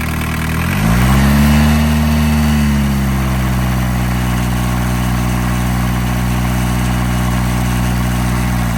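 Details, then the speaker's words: Barn-find VW Caddy pickup, mechanical diesel, about 154,000 miles, off the road over 20 years, first start: quick blip then smooth even idle with steady clatter and no misses; running healthy. "And this is why you need a mechanical diesel engine. Absolutely right. This is what we just said. Mechanical diesel engine. Job done. That sounds perfect, doesn't it?"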